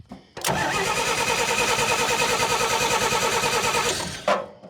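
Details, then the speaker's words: Old Dodge Power Wagon flathead on a temporary fuel source. The worn points are adjusted as far in as possible and barely open; it catches and runs briefly with an even beat, then cuts out as spark is lost again. "Lost spark again. I don't know what the hell I'm supposed to do now. Might be a little bit of uh altering the points so they're a little more adjustable."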